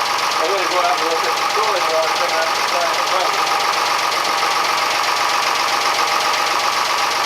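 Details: Fisher 30 sailboat diesel test-run after cooling-system work: flushed passages, new water pump impeller and thermostat, repaired thermostat cover. Oil pressure came up right away. Dense, even diesel clatter at constant speed with no surging or knocks; normal running.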